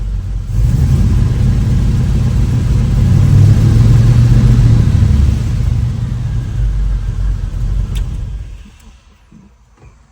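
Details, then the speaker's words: V8 engine after a battery reconnect (it had been running rich, spitting raw fuel from the tailpipe): deep, even rumble swells smoothly when revved and settles back, no misses or knocks. Best it has sounded; normal idle and revving. "Wow. That is the best it has sounded yet. Have a winner. It's idling Dude, that's freaking awesome."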